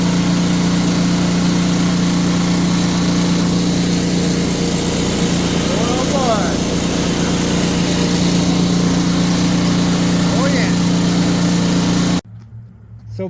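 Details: Simplicity two-stage snowblower single-cylinder engine, fired up with fresh gas; steady even low hum for twelve seconds then clean shutoff, healthy idle.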